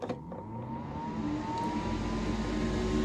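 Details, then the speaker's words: 3D printer enclosure ventilation kit exhaust fan, switched on and run across its power settings from max to min, venting out the back window. Spins up into a steady airy hum near a constant pitch, no rattle or scrape. Normal. "it has different power settings. Max all the way to min. You can hear that fan. You can feel it pulling the air."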